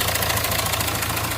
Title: Hyundai Varna timing chain noise